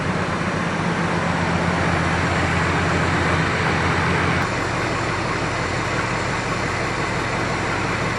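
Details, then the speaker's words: 1965 Chrysler 300 with new Proform electronic ignition, timing set at 10° cranking and 28° running: smooth, steady idle at about 770-780 rpm with no misses or rattles; normal idle. "Okay. So, our idle speed set at about 780. 770. That's pretty good. Pretty good idle speed."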